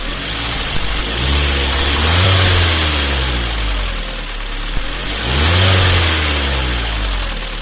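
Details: Kia Sportage 3 idling and blipped twice, with a steady light ticking knock at about three per second throughout: engine knock.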